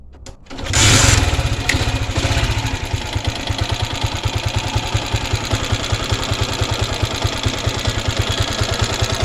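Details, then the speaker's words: 1999 Honda CG Titan single-cylinder motorcycle starting and idling: hard rapid knock with light metallic tick; valve tapping needing adjustment plus piston skirt slap. "Então galera como vocês viu aí aqui nesse motor né tem dois barulhos Beleza o primeiro que eu tô identificando aqui ela tá batendo válvula Beleza então vai ter que regular e o segundo barulho aí que tá tendo aí é justamente o pistão batendo saia"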